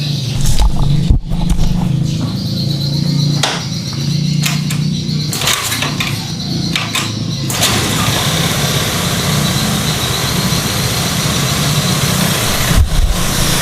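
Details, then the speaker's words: Honda automatic scooter with prior sputtering, stalling and yellow warning-light blinking, kick-started due to weak battery: engine catches and holds a steady, slightly raised cold idle without stumbling; fuel pressure stable around 40, running normally. "Oke motor sudah hidup langsamnya bagus ya Ini naik karena posisi mesin dingin ya Nah ini rpm-nya bagus stabil"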